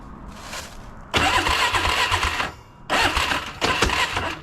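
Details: Polaris Scrambler 500 barn find sat 10 years: three strong, even cranking bursts with starter spinning the engine briskly, no dragging or clicking; starting system healthy.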